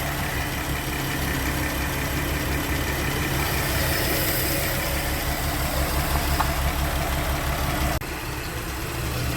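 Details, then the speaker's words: Porsche Cayenne VR6, after fixing vibration, unstable running and whistling noise; warm engine at 90°C coolant, 78°C oil, 1.9 bar oil pressure: smooth, steady idle with an even hum, no misses or knocking; normal idle. "الفي ار 6 كيتكلم اخاي، بومبات ليسانس كتكلم. نغمه موسيقيه فنيه. دورات الموتور مكانه."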